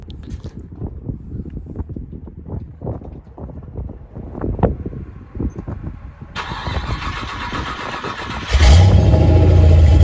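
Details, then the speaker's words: Datsun 280Z swapped with a small-block Chevy V8 carrying an Edelbrock timing chain and parts: some clicking while cranking, then it catches at once and settles into a deep, steady, even idle with no ticking or noises; runs really well. "Sounds good. Not bad. This runs really good, man. No ticking, no noises."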